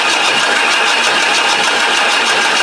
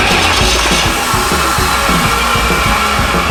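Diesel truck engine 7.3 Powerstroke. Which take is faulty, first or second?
first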